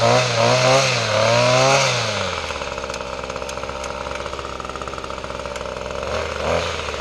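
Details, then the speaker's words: Weed trimmer after fuel system repair and new parts, choke off, throttle swept: revs then drops to idle with light regular tick about four times a second over the buzz; clicking noted, cause unknown, may need tuning. "sounds like an idling well and they're running let's hear that clicking sound oven what's wrong"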